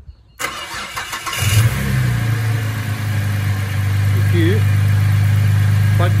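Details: Holden Commodore VZ V6 with no-crank fault (ECU not grounding starter relay), started by bridging the starter relay terminals with ignition on: brief cranking, then catches cleanly and settles into a steady, even idle; normal crank and start.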